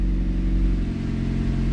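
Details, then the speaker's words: Ford Focus idling on first start after new motor mounts were fitted: steady, smooth low hum with the former shaking vibration gone; a mild exhaust leak is suspected. "oh wow wow sounds better sounds like it might have an exhaust leak that's crazy no more vibrating nice and smooth"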